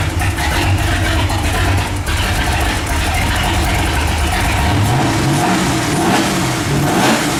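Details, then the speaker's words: Holden VK fitted with a Walkinshaw V8, brakes just done: a deep, strong V8 note pulls cleanly through repeated revs and settles back smoothly with no knocks or misses. The engine sounds healthy. "there's the walkar engine in the VK it's finally going everything sounds good now"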